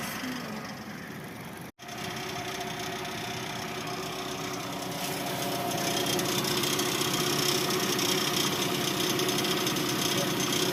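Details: 2019 Kia Sportage: regular light knocking, about three to four taps a second, over a steady idle; a knock from inside the engine, cause not pinned down.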